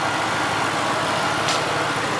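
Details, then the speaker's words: 1999 Grand Marquis P71 4.6 V8 after a broken clip causing a misfire was found: a steady, even engine hum with no stumble, shake or missed beats, a smooth normal idle. "yeah yeah Willie sounds real good all right problem solved simple enough"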